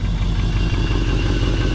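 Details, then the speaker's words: 1979 Firebird with an LS swap, fitted with headers: a deep, loud, lumpy V8 idle with a heavy low rumble and slight blow-by smoke; the exhaust is loud. "let's see how nice and quiet this thing is when he's got terrible exhaust on it when it's quiet and I like quiet"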